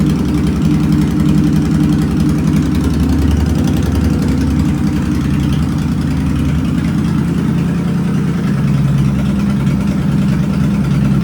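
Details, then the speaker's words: Fuel-injected motorcycle not run for about a year, just started: low, even idle holding steady with no stumbles, misfires or hunting, running smoothly and healthy. "wow i actually started out pretty good kind of surprised"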